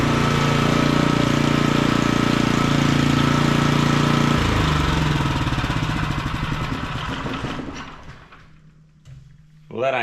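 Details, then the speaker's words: Small auction-bought generator running: steady even buzz for several seconds, then slows and coasts to a stop at shutdown; minor fuel weep from float bowl, slightly stuttery at wide open with choke off, possibly air filter; otherwise normal running. "bad for H 20 bucks is it wow that sounds awesome"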